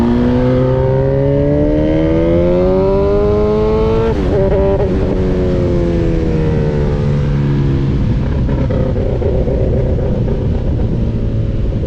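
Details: Honda motorcycle on track at Grattan Raceway: the engine climbs through the revs, then stumbles and sags with an uneven note, misfiring and losing power. Owner suspects a Power Commander V issue, not confirmed.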